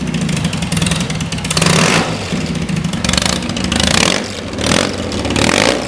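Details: Custom BMW R80 boxer twin, rebuilt after being found neglected in a hedge, catches on start and blips through several sharp revs. It drops back cleanly each time with no misses or mechanical clatter, sounding healthy.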